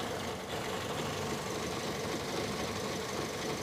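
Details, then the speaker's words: 2006 Toyota Yaris S, 1.5 L 1NZ-FE petrol, 4-speed automatic, at steady even idle; smooth hum, no valve, bearing or alternator noise, AC compressor bearing quiet, judged normal. "juga bearingnya bagus belum ada suara jadi mobil ini suaranya masih halus standar normal"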